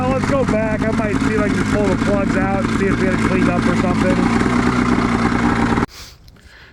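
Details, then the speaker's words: 1989 Honda Pilot with swapped Ski-Doo 670 snowmobile two-stroke engine, after slow trail riding: buzz wavers and stutters unevenly, rough running and lacking power; plug found wet, fouled spark plug. "Definitely feels like we got a spark plug that's fouling. It's just kind of lacking power. You can just hear it kind of running rough."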